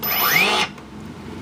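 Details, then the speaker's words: Turnigy AE-30A brushless ESC after programming brake to high: rising motor whine cuts off abruptly after half a second; motor braking quickly, working as set. "unplug plug back in and now when I give it power it should shut down real real fast"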